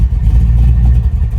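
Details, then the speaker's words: 1980 Chevy Malibu with 540 cubic inch big-block Chevy V8 from a mud truck, new Holley EFI, just started and warming up: deep, steady, loud even rumble, no knocks or misses; healthy idle, quieter than in the mud truck. "All right. Sounds really good. It's not as loud as the mud truck, but it still opens up like a mother when you give it some gas."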